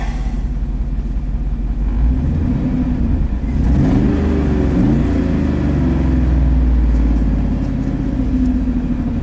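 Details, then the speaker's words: 2003 Chevy Silverado 3500 dump truck, 6.0L Vortec gas V8, 40k miles, after spark plug reinstalled: deep rumble with uneven lumpy beat and stumbles while revving; still misfiring, scan showing cylinders 1 and 8, drop test implicating cylinder 8. "stick shifts this is a good indicator of misfiring see you're still cylinder number one and cylinder number eight"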